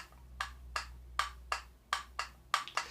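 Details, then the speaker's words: Rofvape Xer 90 vape box mod: sharp light clicks, each a crisp clack with quick decay, from the battery door rattling; it clacks constantly in use. "Alors, j'ai travaillé avec cette box, et tu entends systématiquement un petit clac."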